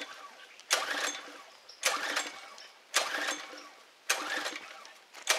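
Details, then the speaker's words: Pressure washer no-start after the fuel check, on choke and primed. The engine catches in short bursts about once a second but fades each time instead of running. The owner suspects a carburetor stopped up with crud that needs dismantling and cleaning. "Okay, so my diagnosis is that I got to probably dismantle the carburetor, and I'll probably have to clean it out. There was a lot of crud in it, so I'm going to say it's probably stopped up."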